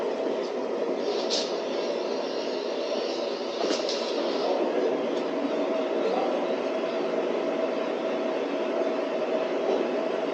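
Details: DIY waste oil burner after further adjustments, making a steady, even roar with constant airy rush, no pulsing or sputtering; burner firing cleanly, running well.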